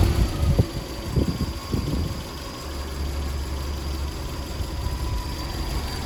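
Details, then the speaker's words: Triumph Spitfire 1500 after fitting a bigger full-width replacement radiator and filling coolant: a few rough catches on firing, then steady even low idle with no misses, warming up; healthy, later no leaks and same temperature. "So what we're going to do is now just let the car warm up, and then we're going to take it for a spin."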